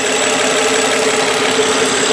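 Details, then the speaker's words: 2003 Nissan Maxima GLE 3.5-litre V6, microphone close to the engine under the open hood: smooth, even idle with a steady light hum and no knocks or ticks; quiet, healthy-running engine. "all right all right as you can hear pretty quiet motor it's a good running car"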